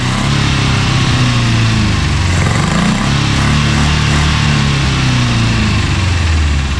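Loud, uneven idle that chuffs and wavers in pitch instead of holding a steady beat, consistent with a cylinder missing.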